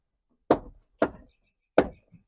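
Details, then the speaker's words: 2017 Ford Transit 350 XLT passenger door, clicking since purchase at about 36,000 miles: three sharp separate clicks as the door swings open, from the worn door check guide, which is being replaced. "3 distinct clicks. Here's what the issue is. This is a door, like a door guide mechanism."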